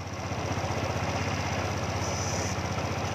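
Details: Yamaha Novo scooter after the ISC valve fix for error 37 and a key-off restart: a steady, even putter at about four beats a second with no hunting or dropouts. Stable, healthy idle.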